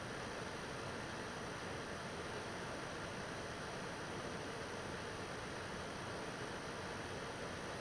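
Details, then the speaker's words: PS4 Pro 3rd gen 7215B, second run of a taxing game: steady airy fan hiss rising a little, no whine or rattle; not that loud, expected for this model, normal. "so I mean you can hear it you can hear it come up a little bit it's really not that loud it's not that bad and that's pretty much expected um uh for this uh 7215b"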